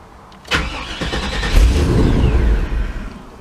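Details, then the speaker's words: 1998 GMC OBS truck with a recurring intermittent starting problem. The starter whirs briefly and the engine catches and revs, then fades out within about three seconds. The owner suspects the fuel pump cutting on and off, fixed temporarily by wiggling its wiring. "it sounds like your fuel pump is shutting off and on."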